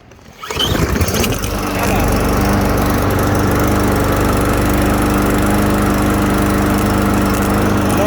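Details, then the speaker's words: Troy-Bilt TB110 21-inch 140cc push mower after carburetor cleaning of a clogged stem: catches after one pull and settles into a steady even run with no misses or surging; running healthy and restarting. "and there you have it a running troy built tv 110 mower this is in good shape just need the carburetor clean"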